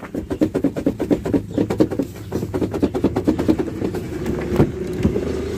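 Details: 2021 Volkswagen Tiguan (latest facelift), front door, heard while driving with the window open and absent when bought: quick, regular, high-pitched squeaks, several per second, over road rumble; the owner suspects loose bolts inside the door (trim to be removed); unconfirmed.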